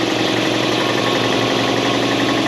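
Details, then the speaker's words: Air compressor in a freezing-cold shop during repair of a 1968 Ariens Sno-Thro snow blower: loud, steady, laboring chatter with a dull pumping beat, sluggish rather than crisp; compressor struggling to reach speed. "Listen to my compressor. Listen to this thing. It's freezing in here. This thing's not even running fast."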